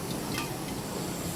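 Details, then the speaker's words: 19-litre pressurised water pump tank, pump not running: soft continuous steady hiss of air escaping from a leak, audible before dunking in water. "nah udah mulai bunyi bocorannya Nah kawan-kawan bisa dengar ya belum saya Celupin udah ketahuan ada bocornya"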